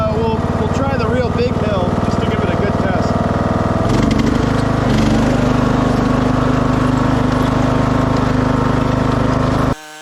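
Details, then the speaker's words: 2006 Craftsman LT3000 after new idler, oil change and charged battery, passing hill test; steady single-cylinder thrum with even beat through load change, no rattle or vibration; initial noise blamed on cold hydro transmission warming up. "that idler definitely solved a lot of wild vibrations at first it was noisy but I think it was just the cold Hydro transmission just needed a second to warm up"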